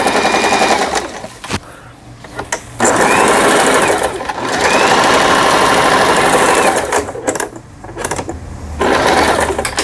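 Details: Lion Mising JS1004 sewing machine, about 20 years old, after repair of a loosened upper shaft worm in the gearbox; forward and reverse stitching gives even rapid needle clatter in bursts with short pauses, steady speed; normal stitching.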